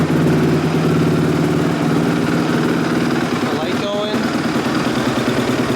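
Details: 2005 Honda CRF250X single after valve shimming, timing adjustment and carb clean, first start: crisp idle with a quick throttle blip revving cleanly and settling back; smooth, even, normal running.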